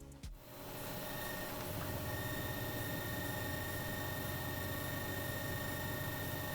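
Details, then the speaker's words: Bakon BK601S Pro soldering station heating a tip on a large copper square during a power test; faint quick chirps about three a second over a steady electrical hum come from the station. "In the background, you will hear the chirping noise produced by the backon station."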